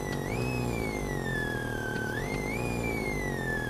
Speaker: при нажатии педальки газа тональность меняется в такт нажатию педали это помехи